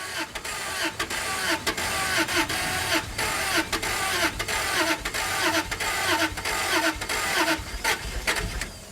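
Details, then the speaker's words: Daimler 4.0 V8, not run since 2016, after a fuel pump change: cranking with uneven pulses catches and keeps running roughly; the engine starts. "she wants to a bit more it's running listen to that works for me"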